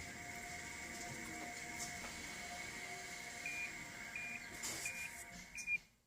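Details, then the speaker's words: 2016 Toyota RAV4 XLE Hybrid pedestrian warning sound: steady high whistle-like tone with faint overtones, rising slightly as the SUV creeps into the garage under 15 mph; normal operation. "a very quiet cars so this sound helps pedestrians know that um there's a car there when they're going across the road or parking lot or whatever"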